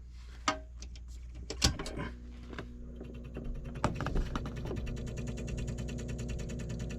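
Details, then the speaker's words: Trane 2.5-ton air handler powered back up after cleaning out a snail that had stalled the stepper-motor expansion valve: few clicks then fast even ticking buzz as the valve drives closed and open, homing normally, which it wasn't doing before. "when you turn the breaker back on and power it up you'll hear that motor closes it opens it tests itself"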